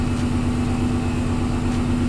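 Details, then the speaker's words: Supercharged S62 V8 in a salvaged BMW E39 M5 at 307,000 km, just after an oil change with fresh oil: smooth, even idle with a steady low burble and no knocks or ticks; sounds healthy. "Oh, it sounds healthy. It sounds amazing. Fresh oil."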